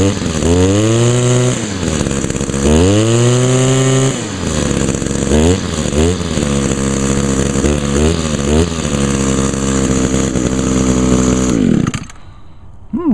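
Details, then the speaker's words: Echo trimmer, carburetor rebuilt last year, unused since October/November; snaps up crisply on throttle blips then settles to a steady buzzing idle; normal running. "oops not too bad this has always been a good trimmer"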